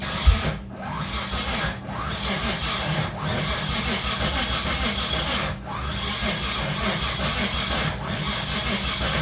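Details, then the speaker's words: 1989 Dodge Raider 3.0 V6 (Mitsubishi 6G72) with new lifters soaked in oil but not bled; long crank with lumpy irregular beat and deep dips, never fires; sounds like it's 180 out, but timing was verified correct; cause unknown. "I mean, to me it sounds like it's trying to go backward, like it's 180 out."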